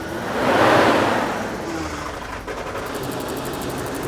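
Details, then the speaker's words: 1991 BMW E31 850i V12, 6-speed manual, off the road 7 years, running on old low-octane fuel: smooth, even idle firing on all 12 cylinders with no misses, knocks or stumbles; normal idle. "works like a dream listen to that Idol it's firing on all 12 cylinders it's going to run even better once we have a full tank of fuel with of good fuel"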